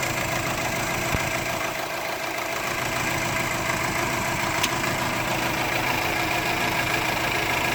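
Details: 2004 Subaru Forester XT idling boxer engine with an uneven, stumbling beat from a cylinder 1 misfire and check engine light; plugs, coil pack and injector already changed, timing checked, unplugging the O2 sensor made no change.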